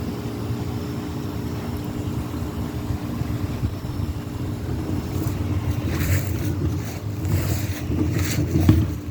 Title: 5.9 cummins 12 valve exhaust leak, and finding somebodys patch work. Time to replace cyn. head